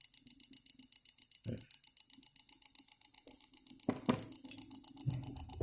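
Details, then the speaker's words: Throttle-body injector bench-tested with an injector pulse tester, RPM starting from zero: crisp evenly spaced solenoid ticks, several per second, steady; injector solenoid working normally. "Nah sekarang kita coba aktivitasnya kerja nggak di dalam sini selenoidnya."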